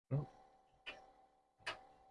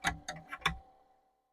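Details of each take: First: Commodore 2031 HP single floppy drive on a PET after decades, power-up after soldering repairs: five sharp metallic clunks as the head seeks and bangs, with the spindle not heard spinning at first; head seek on power-up. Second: Commodore 2031 HP single floppy disk drive, first power-up after decades and fresh soldering: four sharp metallic knocks in under a second as the head bangs against its stop, before the drive spins up.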